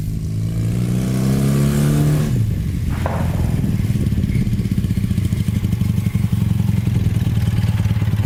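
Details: Honda trike with CM400 twin after two hours cleaning badly clogged carburetors (owner suspects it ran on one cylinder before): spins up cleanly then settles into a steady even beat, no misfire, revs out now.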